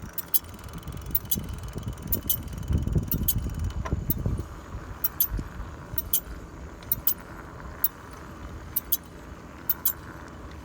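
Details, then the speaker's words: Ecotric Rocket electric bike while riding: light metallic clicks and rubbing ticks, a chafing noise starting after about four miles, front or rear unclear; disc brake chatter from the caliper shifting on a slightly wobbly rotor. "after about four four miles it would start with this uh noise that was like a chafing noise and i couldn't really pinpoint where it was coming from the front or the rear"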